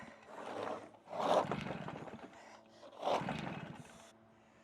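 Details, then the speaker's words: Stihl BR380 backpack blower, about 14 years old, hard starting for years. Owner suspects flooding; it seems to need throttle, and it is run without choke on service advice. Two cord pulls whir and die without catching: hard starting. "it seems like I need to give it throttle just to get her going I know thanks thanks for the effort I cannot get over guys how hard that thing is"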